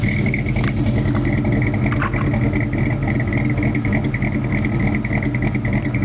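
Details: S15 with 2.8 V6 and dual-outlet Flowmaster 40 series Delta Flow exhaust: uneven, loping idle with lumpy irregular pulse through deep exhaust note; rough idle, cause unclear.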